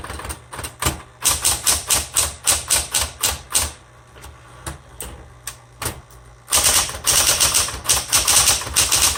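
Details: 1960s Smith Corona Coronet electric typewriter, repainted, color selector on black: quick irregular key clacks over a faint steady motor hum; healthy machine typing cleanly, a little noisy.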